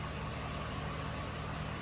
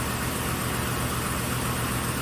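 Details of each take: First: 2006 GMC Sierra 1500 4x4 5.3 L V8 after head gasket failure, bank two sensor one oxygen sensor just replaced, fuel trims reset, now in closed loop: smooth even idle, steady low rumble, no misses or surging. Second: 2006 GM truck 5.3 V8 on first start after head gasket repair: quick puffing tick at idle, about four a second, from an exhaust flange reinstalled without a new gasket; a possible loose plug wire spark was also suspected.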